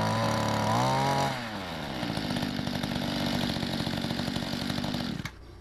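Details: 1994 Mantis two-stroke cultivator (weedeater-type motor), primed twice, after carburettor adjustment found via Google: revs high briefly, then settles to a steady, even idle without stumbling until shut off; running well.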